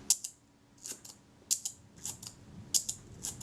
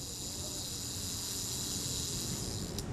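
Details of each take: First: Retina IIC leaf shutter fired at 1/8 second after cleaning and graphite lubrication of the speed trains: light, soft, muted clicks, an unnaturally quiet shutter release. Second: Kodak Retina IIC camera shutter speed gear train, cleaned ultrasonically and in naphtha, lubricated with graphite powder: fine even buzzing whir, runs smoothly without catches, sounds healthy before reassembly and speed testing.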